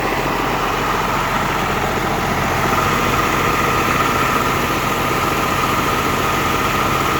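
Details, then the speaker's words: M35A2 with Cummins swap, first run after cooling system fill: even, fast diesel clatter holding too high above normal idle after the idle screw was bumped. Owner says the governor springs need tightening a couple of clicks to drop the idle. "by the way I did get it to idle I just bumped off the idle screw a little bit that's still not it's still not right it's idling too high"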